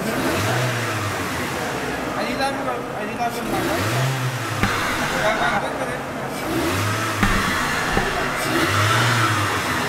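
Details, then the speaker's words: Mitsubishi Galant that failed smog with a check engine light, after a bad MAP sensor was replaced; repeated revs climb, then stumble and sag as the MAF signal glitches and cuts out. Engine bogging on acceleration from a faulty MAF sensor. "I mean the car fell on his face with that last rev look at the signal look at it breaking up there all glitches right there"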